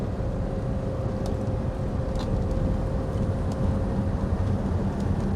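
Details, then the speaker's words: Rover P4 on a test drive after new gaskets, valve clearance check and slightly advanced ignition timing: even engine and road drone pulling under load with no metallic rattle; no pinking. "Nope. No pinking at all there. Beautiful. Cuz I did advance the timing a little bit."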